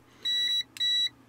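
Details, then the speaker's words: Multimeter continuity check on a Jewell flea market radio's electrolytic capacitor leads during recapping: two clean high beeps about a third of a second each confirming continuity at one point; the two capacitors turn out not in parallel. "I'm touching it. See, I'm getting continuity. You can hear it?"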